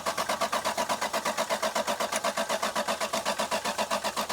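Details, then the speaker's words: Lexus LS 430, crank no-start: starter turns the engine evenly at about four beats a second with a weakening battery, never catches; no spark from the four-wire coil; crank no start. "The battery is starting to get weak, too. But there is no spark jumping out of the coil."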